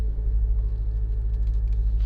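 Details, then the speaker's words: Honda Civic on MaXpeedingrods coilovers, manoeuvring: only even engine and tyre rumble, with no pops or clunks from the front end. The earlier popping was fixed by greasing the coilovers. "Yeah, you hear that? Yeah. Exactly, you don't hear nothing at all."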